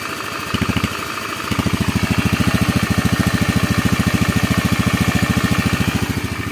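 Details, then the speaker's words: Honda Beat FI scooter after engine rebuild, previously rough helicopter-like noise from a worn left crankshaft bearing: even, steady putter without growl or knock; normal idle, though the CVT still needs parts. "Nah ini bosku ya, hasil akhirnya bosku ya, halus bosku suara mesinnya. Jadi nggak ngorok kayak kemarin ya, rok kayak gitu. Oke, halus suara mesinnya."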